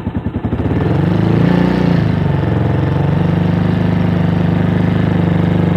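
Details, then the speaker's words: Avenger Cruiser 220 motorcycle, 2,400 km, sat two months without fuel: idles fine but held at part throttle it surges and hunts with occasional pops; owner suspects clogged main jet and atomizer in the carburetor. "pero si la mantenemos un poco acelerada se ven las variaciones del motor"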